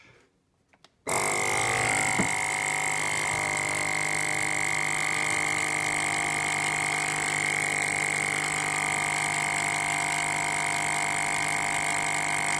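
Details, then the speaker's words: FoodSaver V2490 that vacuums but never finishes; testing sections via a T after the pump checked good; steady high whine and hiss with no rising strain, not pulling vacuum, problem suspected in this section. "that's pretty suspicious it's not doing anything so I think the problem is in this section"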